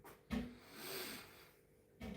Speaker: Оцей стуки, чуєте? Ця витяжка стукає. Оце воно стукає і стукає.